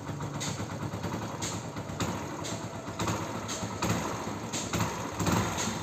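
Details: Hero Splendor Plus after opening the cylinder head and replacing a faulty O-ring that caused a whistle and puff on acceleration: the single ticks over evenly and picks up cleanly on quick blips with no knock or rattle.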